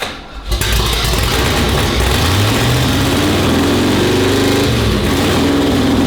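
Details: 1972 Holden HQ with its original 308 V8 (super five-speed swap), first start after cam and crank timing were corrected: brief crank, catches and runs on with a steady, even burble under background music; normal start-up and idle.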